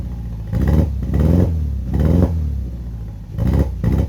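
Uneven, lumpy idle with the engine note surging and dropping every second or so; the stumbling beat points to a misfire.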